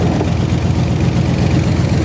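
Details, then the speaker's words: OBS GMC Sierra V8 truck heard near the engine bay: deep, lumpy idle with a rough puffing edge, sounds fine from the rear but worse up front; exhaust manifold leak. "so this truck here it sounds really good from the back but as you get up here it doesn't sound nearly as good"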